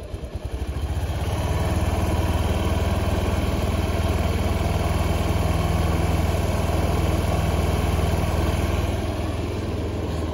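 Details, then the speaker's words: Honda Beat injection scooter with a bored-up engine, after a CVT service in which the rollers and clutch linings were cleaned because it had sounded rough. A steady, even idle thump with no rattle; the CVT now sounds smooth and normal. "Coba dites dulu oke Guys ini untuk suaranya mudah mulai sudah mulai halus"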